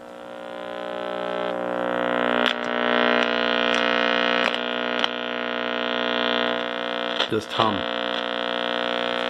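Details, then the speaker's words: Early-1970s Graymark 511 all-band radio, powered up after decades in storage: loud steady low buzz with rich buzzy edge; mains hum from failing electrolytic filter capacitors, which need replacing. "so I think those two um electrolytic capacitors will need to be reinstalled to get rid of that"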